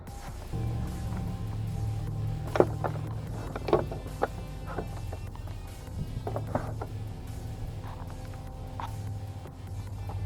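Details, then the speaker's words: Ford Freestyle sat dead about 3 years, powered by a jump pack: scattered sharp relay clicks as it comes to life, then a beep and a ding; dead battery. "Oh, you can hear the clicking and coming to life, so that's good."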